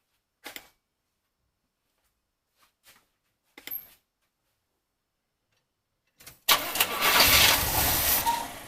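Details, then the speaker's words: Large engine cranked with a JFEGWO 8250 jump starter after starting fluid, possibly out of gas: a few faint clicks, then the starter spins it briskly for a couple of seconds but it never fires; crank, no start. "hear that clicking that's it trying to crank it over now I put starter flu and it probably start"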